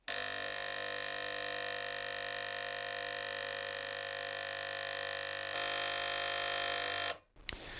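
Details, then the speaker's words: Gaggia Cubika espresso machine that heats and pumps but delivers no water or steam: with the pump outlet hose released, a steady, loud buzzing drone holds unchanged as the vibratory pump runs dry with no water getting through; blockage suspected. "There's clearly no water going in there, so what we need to do is try and maybe blow this through."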